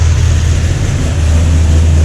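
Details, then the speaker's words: C6 Corvette Z06 V8, first start after heads, cam and intake work and an exhaust leak repair: deep, steady idle rumble. The ticking and clicking heard on the last startup from the exhaust leak is gone. Normal idle. "There you go. No more clicking. I like it. Usually, or last startup, you can hear a lot of ticking and clicking. That was the exhaust leak. No more here."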